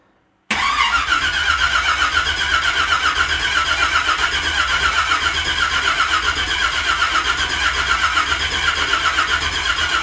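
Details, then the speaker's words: Unfinished family project truck, first start attempt in freezing weather with battery booster: steady even cranking about four beats a second for ten seconds, never catching; no ignition because the distributor power wasn't hooked back up. "Sure would be good if we had power going to the distributor if we were trying to fire it up, huh?"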